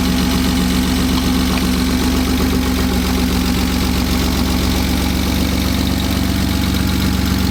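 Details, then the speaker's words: BMW M52 inline-six, freshly wired and started with no front end or cooling fitted: steady, even idle with a smooth low hum and no hiss or misfire. It is idling nicely with no vacuum leaks. "So as you just heard, it's starting to idle nice now that it has all of this hooked up. Doesn't sound like there's any vacuum leaks."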